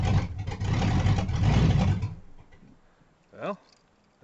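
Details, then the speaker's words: 1988 Ford Crown Victoria, first start after head gasket replacement and full top-end rebuild, timing just reset, a plug wire found not fully seated: two seconds of heavy uneven cranking, no catch; cranks but won't start, cause not confirmed. "So after resetting the time, here's trying to start my car."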